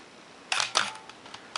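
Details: Minolta X-700 35mm SLR, lens removed, shutter at 1/4 s. Two crisp clicks about a quarter second apart as the shutter opens and closes cleanly; normal shutter operation at 1/4 s.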